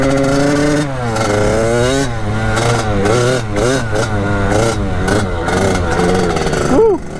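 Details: Kawasaki KX80 two-stroke fitted with a KX100 99cc big-bore cylinder, first test ride after new head gasket and shaved cylinder head to fix coolant leak; crisp revs rising and falling smoothly through throttle blips while riding, pulling clean without bogging, healthy.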